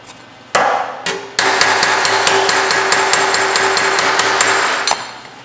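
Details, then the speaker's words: Planishing a Camaro RS grille panel: crisp ringing pings about three per second with a clear metallic tone, showing correct hammer-on-dolly contact. "see you this is hammer on doly you can hear that pinging that's what you"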